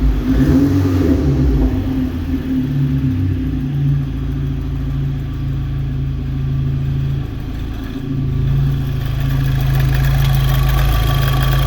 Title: APR Ignition Coil APR-MS10020 problem misfiring